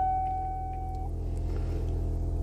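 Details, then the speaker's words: 1987 Cadillac hearse, UK, at power-on: a brief high buzz, then a steady low electric hum as the air compressor under the engine bay raises the rear to ride height. This is normal air suspension compressor operation. "There's a little compressor underneath the engine bay, and that little compressor makes the back of the car come up. Comes up to ride height."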